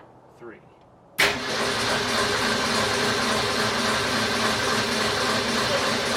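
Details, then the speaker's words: 1965 Ford Falcon, Ford 200 inline six, just converted from Autolite 1100 carburetor to Holley Sniper EFI: steady fast cranking that never catches; no spark because the coil was left without power during rewiring. "okay so the car did not start we slept on it and we were looking over everything and we realized why it didn't start and that was because and all of our switching everything around and putting in the efi we completely forgot about putting power to the coil"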